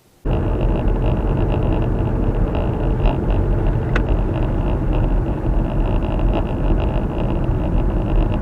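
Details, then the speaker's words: Viofo A119 V3 dashcam recording while driving: constant high, buzzy rattle over road rumble, heard only through the camera's microphone and not inside the car; the dashcam is vibrating on its mount, and foam padding is being considered. "Och det är inget som är fel, utan det är bara det att när jag monterar fast den här och börjar köra, det hörs inte in i själva bilen, men det hörs genom mikrofonen här att den här vibrerar."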